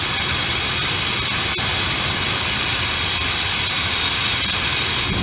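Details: 1995 Ford F150 after tune-up, stale gas suspected, brake booster vacuum line pulled for Seafoam treatment: loud constant sucking hiss over a poorly running engine; big deliberate vacuum leak leaning the idle.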